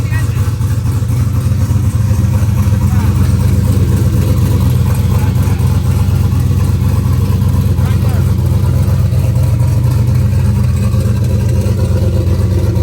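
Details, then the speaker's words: Turbo LS2 Camaro idling after new lifters, with both fuel pumps primed: a loud, deep, steady V8 rumble with no knocks or ticks. AFR reads a little rich versus the old 14.7 idle; a possible down cylinder may now be solved. Idle sounds normal. "we're chilling right now so AFR right it's a little rich before I used to idle at 14-7"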